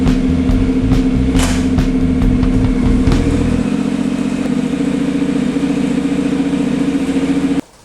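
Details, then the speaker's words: Honda CTX700N after rear wheel bearing replacement and chain tensioning, on the stand in first gear: engine ticks over and the wheel spins with a steady hum, no grinding or rumble from the hub, then shuts off. "I'm going to turn it on the stand and put it in first gear and make sure everything rotates nicely."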